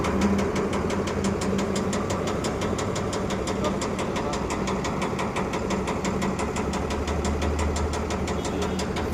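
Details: Tata Prima truck diesel at idle: heavy, fast, rhythmic knocking about three per second. Serious internal engine damage (engine block blast) is suspected, not confirmed.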